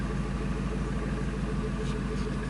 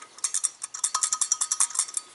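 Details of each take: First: 1999 Ford F250 5.4L V8, after an EGR valve fix for surging/rough idle, going from open to closed loop: steady, deep, even idle with no stumble or hunting; normal idle. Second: 1999 Ford F250 5.4L with surging/rough idle: removed EGR valve shaken by hand gives loose bright metallic rattle as the pintle floats freely; owner suspects broken or missing spring, valve to be replaced.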